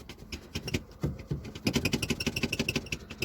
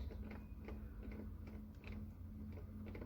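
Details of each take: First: 2016 Lada XRay driver's door glass rattles loosely in its regulator over bumps and light off-road driving, with tinny clatter in quick bursts about three a second; the door also has a squeaky handle. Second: Lada XRAY door handle after lubricating its squeaking spring and coating the cable with silicone grease: soft, regular clicks with no squeak over a low hum.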